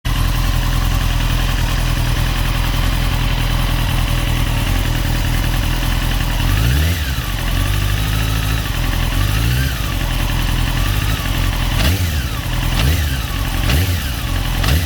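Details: 2002 Honda CBR954RR idling with a steady metallic tick and a brief metallic rattle on each quick rev; no power loss and clutch feels fine; owner wonders if it's clutch or cam chain tensioner, unconfirmed.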